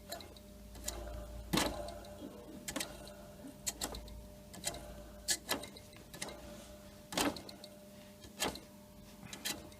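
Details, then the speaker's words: WDH-101P dehumidifier, about 15 years old, opened up: the fan has stopped rotating and only turns a little by hand. Faint irregular ticks over a steady low hum as the motor barely turns, likely too much resistance; to be removed, cleaned with WD-40. "So problem now is the fan stopped rotating. Yeah, I can rotate a little bit."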